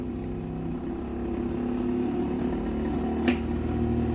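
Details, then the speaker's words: Megmeet Mite series PCB after the compressor data was matched and uploaded: the compressor now starts successfully with a steady low, smooth, unbroken hum under room noise and no error. Normal compressor running. "Compressor की आवाज आ रही होगी तो compressor हमारा successfully चल चुका है"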